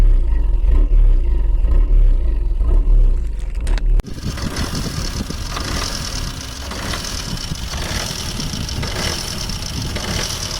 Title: Opel/Vauxhall Corsa D rough idle, no revs, no error, no dashboard light - alternator problem.